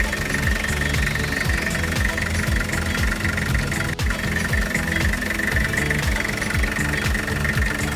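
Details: Toyota Dyna 5L diesel after front engine noise repair: idles at an even beat of about two pulses a second with no knock standing out; healthy idle.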